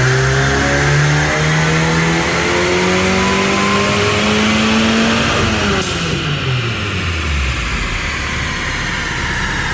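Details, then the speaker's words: 9th-gen Honda Civic Si, supercharged, at full-throttle pull: engine climbs steadily in pitch to the top then drops away, but no supercharger whine rises with revs; only about 20 hp over naturally aspirated, suspected boost problem, MAP sensor to be checked. "so did you hear what happened in that little Dino pool go back and take a listen you don't hear a supercharger do you so right now the car is making about 20 more horsepower than what it would make all motor"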